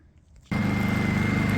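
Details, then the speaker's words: Honda EU2000is inverter generator, briefly died until the fuel cap vent was opened, now powering a fan: steady, even hum with a clean high tone; normal running under light load. "all right she's out here purring away just with a fan running I think I'd be good enough for today just on a kind of a low run"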